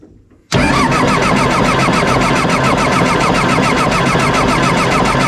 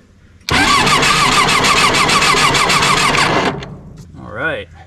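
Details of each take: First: John Deere 755 turbo diesel track loader sat over 20 years, cranking while bleeding clogged fuel lines at injection pump and filters; starter churns steadily about 3.5 beats per second for nine seconds, no firing; fuel and air emerge, fuel looks bad. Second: John Deere 755 turbo diesel crawler track loader sitting over 20 years, first crank before fluids checked and diesel primed; quick, even cranking about three and a half beats a second; normal fast cranking.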